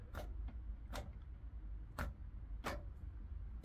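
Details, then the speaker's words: Port-side engine starter button on a boat pressed during a monthly test: single sharp clicks about a second apart, no cranking; starter clicks but engine won't crank, owner suspects an electrical issue, unconfirmed. "click click and that's it now what so I figured that must be an electrical issue as well"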